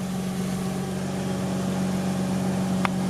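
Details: Mazda RX-8 rotary after engine rebuild: steady, even idle with a smooth low drone and no knocks or misses; sounds healthy.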